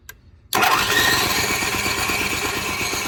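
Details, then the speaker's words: Onan 4000 KY series generator that was surging, stalling and hard starting: after a silent gap it bursts into life with a ragged, uneven beat, running rough. The choke lever would not move and the choke plate was found stuck open. "Watching other videos, I noticed the choke lever in my generator would not move at all. Remove the air filter and confirmed the choke plate was stuck open."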